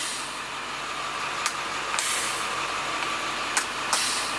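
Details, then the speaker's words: Used school bus being considered for purchase, air door control pressed: steady hiss of compressed air with sharp puffs and clicks as the valve cycles; the doors work, manual and automatic, not faulty as first thought. "it was mistaken that doors do work that's manual and automatic my mistake the thing is right here and they work"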